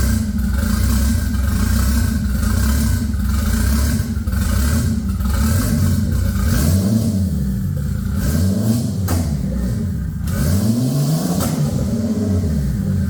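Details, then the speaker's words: MK4 24V VR6 turbo build, first recorded startup after SAI delete, intake now routed through MAF and turbo: lumpy uneven idle with quick throttle blips rising and falling unsteadily; runs rough, owner unsure if just the tune. "obviously it runs a little bit like [ __ ] i'm not 100 if it's just the tune"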